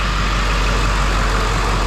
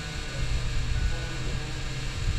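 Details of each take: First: 2007 Ford F450 with swapped-in 7.3 Powerstroke diesel at idle after the fix: deep, smooth, even clatter with no stumble or shake, firing cleanly on all cylinders. The cylinder five misfire was traced to and cured by replacing the under valve cover harness. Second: 7.3 Powerstroke diesel idling with a known misfire on cylinder 5, which shows high resistance; the suspected cause is the under-valve-cover harness, possibly the injector. It cranks, catches and settles to a rough, lumpy idle with slight shake and a loud fuel pump.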